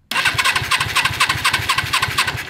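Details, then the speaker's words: Suzuki GS450 motorcycle engine in a racing lawn mower go-kart build, first start attempt: steady starter whirr with even compression pulses, never catching, no spark; a burnt wire under the cover was then found. "do we have ignition let's find out thank you cranking no spark let me try it again"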